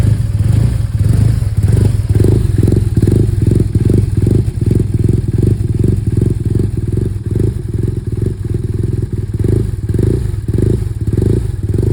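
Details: 2011 BMW R1200R twin-cylinder motorcycle idles rough with an uneven, stumbling thump, beats dropping and bunching up as it misfires.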